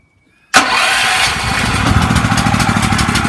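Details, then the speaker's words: Small mass-produced petrol generator, supplied untested and without oil, first start after its gasket was fixed by reversing and rotating it 90 degrees: choke on, switch on, catches and settles into a steady, even run; starts cleanly. "So just going to put a little bit of choke on, and I'm going to turn the switch and fire it up, and all being well it should kick straight in."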